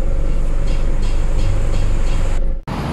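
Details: Isuzu D-Max 4JJ1 diesel at idle with a noise complaint that can be heard inside the cab, plus a lack of power: steady, hard clatter at about three knocks a second; valve clearance, timing chain or injector as causes.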